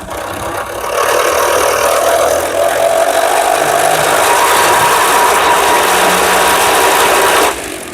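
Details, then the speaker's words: Electric skateboard driven by a home fan blade used as a propeller: loud rush of air with a thin steady whine once it spools up; the tensioned drive belt complaining under the heavier blade load, quiet with the previous propeller. "now can you hear that noise you know what it is it's the belt now the belt is not liking this propeller considering that belt is under tension and on the previous blade it wasn't making that noise"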